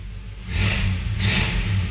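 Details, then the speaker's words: 1967 Ford Galaxie with carburetor, 47,000 original miles, after brake replacement: deep, even rumble swells smoothly under two throttle blips and settles back, no knocks or misses. Healthy engine. "love that sound. Yeah, and this is 47,000 original miles."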